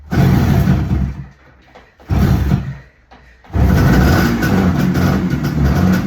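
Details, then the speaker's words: 1975 Suzuki GT250 air-cooled two-stroke twin, a barn find first coming to life after 18 years using easy start: sharp revving bursts between quieter dips, then a sustained crackly run; firing on both cylinders. "Right, that's a win. It's running on both cylinders. Absolutely brilliant."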